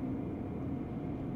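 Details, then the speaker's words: 2024 Tesla Cybertruck (non-Foundation) on Supervised FSD v13.2.2: a faint steady buzz, almost a scrubbing, over road noise that reappears at about 43 mph and fades at higher speed; the owner first wondered about a wheel bearing. "it almost sounds like a scrubbing as you get faster though it does go away"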